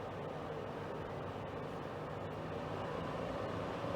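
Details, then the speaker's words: Portable air conditioner, about three years old, after exhaust fan motor repair: steady whoosh of air with faint hum and no rattle as the fan is turned up to draw air faster; air coming out really cold. "starts to draw air through it a bit quicker it's really cold about three years old I like the white noise"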